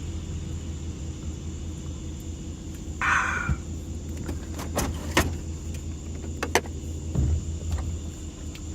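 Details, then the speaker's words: 2005 Dodge Ram 1500 4x4 driving after its noisy rear axle (noise on acceleration, suspected pinion) was replaced with a salvage-yard 2003 axle. Low road rumble and a few cabin clicks, no howl or whine; sounds much better. Normal differential. "so sounds much better this is great this is awesome man"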